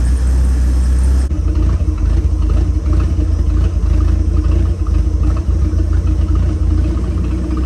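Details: 1976 Chevy C10 with 250 inline six, 3-speed manual, 50,000 original miles, after adjusting the idle mixture screw for rough idle: deep low rumble settling into a steadier, even idle; running smoothly.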